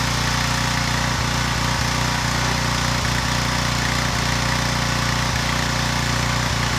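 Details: Residential pressure washer after replacing its freeze-cracked pump, no longer leaking: small engine settles into a steady, even run with regular firing and no knocks, rattles or pump noise. Normal running.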